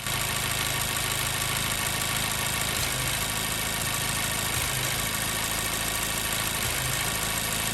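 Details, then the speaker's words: Car that misfires only after about eight minutes of running, once warmed up: rough, unsteady idle with an irregular stumble in the exhaust beat and a shaking hum, with the engine visibly shaking. Cylinder misfire at idle. "But finally, we got this car here that's got a misfire. Listen to it, and you'll see that we have to get the car running right about the eight minute mark to get it to have any problems at all."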